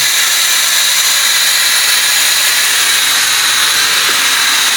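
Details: Plasma cutter head bolted onto a cheap laser cutter: steady hissing roar of the plasma arc with heavy crackle, and the controller drops out as soon as the arc starts; suspected electromagnetic noise from the arc, foil shielding made no difference.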